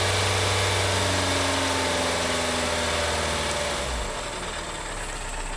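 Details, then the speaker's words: 2012 VW Tiguan GDI turbo that stalled with suspected low oil pressure, still 2 quarts low after oil added: idle with fast steady tapping tracking engine speed; massive rod knock, engine judged finished. "This is ridiculous. That's a massive rod knock there. I mean, if they added oil and it's still 2 quarts low, I believe it's game over."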